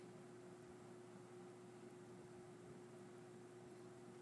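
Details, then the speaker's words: Superlectric Model 2072 two-speed box fan, new old stock with plastic-shelled motor, on low speed: quiet airflow hiss with a steady low hum and constant motor whine. Owner notes a whine at start-up and a hum when running, hopes both fade with use. "and seems to put out kind of very little air but not too bad you can really hear that hum and can kind of hear some of the motor wind too"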